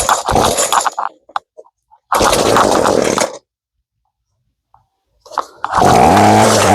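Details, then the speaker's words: Used Ryobi two-stroke gas trimmer with replaced carburetor: short high buzzing runs about a second each die out and restart; stalls at idle because idle speed set too low, fixed by turning the idle adjustment screw. "Ang nangyari naman ngayon namamatay siya sa idle no sa menor. Wala siyang menor."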